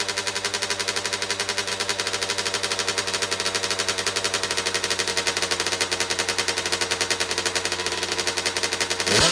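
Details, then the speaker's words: 2009 Kawasaki KX85 two-stroke, bought in poor condition, after fresh fuel and new jets: rapid crisp popping holding a fast steady idle, still idling high. Owner suspects an air leak and plans to go down another jet size. "She still kind of seems to be idling a little high. So I think maybe we'll go down another jet and see if that does anything."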